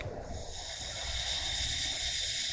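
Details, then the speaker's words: Opel Zafira A brake vacuum booster: steady airy hiss of air escaping through a leak in the corroded booster, causing a hard brake pedal; booster must be replaced. "right here I hear that it went here hissing that's what it will have to be changed"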